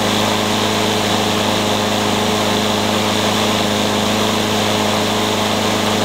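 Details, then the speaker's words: Troy-Bilt TB360 mower with original carburetor cleaned, replacing a poor aftermarket one, and tank cleaned: steady drone but uneven, with skips and pops; misfire persists, flywheel key and timing to be checked. "so it sounds like we're not done yet what's the troy bilt it's got a clean carburetor and I cleaned out the tank but it still kind of skips and pops"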